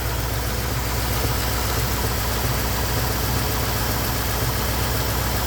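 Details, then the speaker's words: Engine fully warmed up, temperature gauge normal: deep, steady, even idle with no ticking; the tick heard when cold, suspected lifter, is gone. Normal warm idle. "okay yeah it's uh hot and it sounds better than when it's cold there's a little tick tick tick tick tick I think it's one of the lifters acting up a little [Music] bit but it sounds sounds good now"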